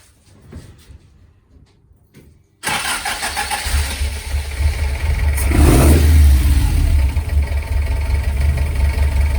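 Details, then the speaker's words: Ford prototype 2-door GT Corsair with a fuel-injected Essex V4 and Capri 5-speed, first start in 1.5 years, air filter off while tickover is adjusted: lumpy tickover with a light clanking from the alloy timing gear. "you can hear that lovely alloy climbing gear"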